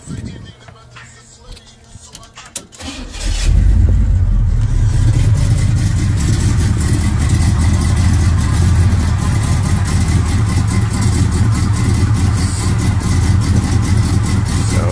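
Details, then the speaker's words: 1969 Impala small-block Chevy, Holley carburetor just adjusted by owner: start catches in about three seconds, then a deep, lumpy but steady V8 idle with a cam lope; running fine. "But I got this bad boy exactly how I want it, y'all. Let y'all hear"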